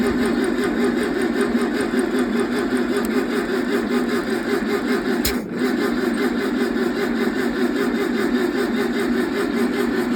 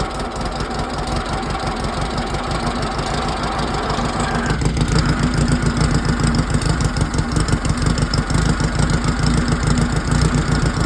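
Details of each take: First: 1968 VW 1600 dual-port engine on a stand; steady starter whir for ten seconds with no firing: cranks but won't run because the valves are too tight and stuck. Fix: swap in rocker assemblies from a parts engine. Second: 1968 VW 1600 dual-port engine on a stand, after rocker swap, valve and timing adjustment; fed gas by squirt bottle, wired direct to coil; rough firing at first, then a steady even flat-four beat: normal running.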